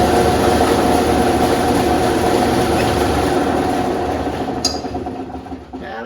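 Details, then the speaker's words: Steel City 55220 dual drum sander running after a friend helped find the fault and loose set-screw fasteners were retightened, cover on: steady, even rumble from motor and drums, no knocking; the scary noise is gone, normal running. "Uh the the scary noise is gone. Okay. Yeah, it still rumbles and makes noise because there are quite a few moving parts here"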